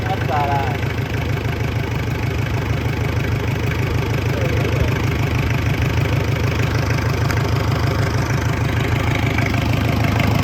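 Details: 1970s Isuzu C240 diesel for a sailboat, bench-tested at first start after hand-bleeding air from the fuel system: an even, steady clatter at a settled idle with a regular beat, no misses or stumbles; healthy.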